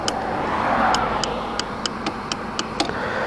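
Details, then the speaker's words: TVS Apache RR 310 after first service, clutch pulled fully: sharp light clicks every second or so over a steady running hum as the clutch lever hits the bar end; unresolved at service. "Alright, so starting off with the first issue is the clutch lever hitting the bar end."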